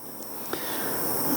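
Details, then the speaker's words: Front tubeless tyre valve on a Giant Liv Avail Di2 bike with the valve core undone: only a thin, faint hiss of air squeezes past instead of a free rush, as dried sealant clogs the valve; blocked valve. "Again, quick visual inspection. You can hear that's blocked."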